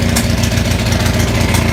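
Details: Onan 6500 (6.5 kW) gas commercial generator, missing its muffler, chugs with irregular popping, backfire and stumbles, a bad misfire. Spark was always present; pulling the plugs showed a severely fouled spark plug as the cause.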